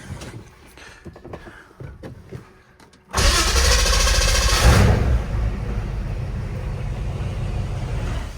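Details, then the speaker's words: V8-swapped Mercedes 240D started after replacing the leaking fuel feed and return lines with -8 AN hose and fittings: clicking, then an instant firing, a deep rev burst and a steady rumbling idle. A new fitting still leaks fuel heavily. "God this thing sounds good"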